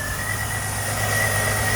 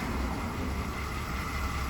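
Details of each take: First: 2005 Jeep Liberty 3.7 L with a no-crank no-start, started by supplying power by hand while cranking since the ignition switch gives no output; steady even idle with smooth low hum, no misses or knocks: normal idle. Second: 2005 Jeep Liberty 3.7L no-crank fault traced to no power at the ignition switch circuit while cranking; starter churns with a few sharp clicks, then the engine catches when the circuit is powered directly.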